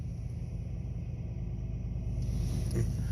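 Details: Jeep Liberty that cranked but wouldn't start, fixed with fuel added and a new fuel pump relay and ASD relay: steady low rumble with an even beat, no knocks or misses; smooth healthy idle.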